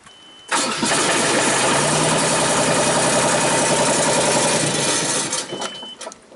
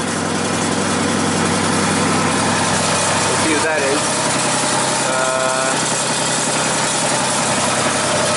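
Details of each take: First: 2001 Genie S-40 diesel boom lift, starts then shuts off after about 4 seconds: engine catches and revs briefly, then cuts out as the start-stop module shuts it down for lack of a tach signal from the alternator; intentional shutdown. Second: 2001 Genie S-40 diesel boom lift that starts and then shuts off after about four seconds, being diagnosed: steady, even idle with no misses, knocks or squeals; the engine sounds healthy.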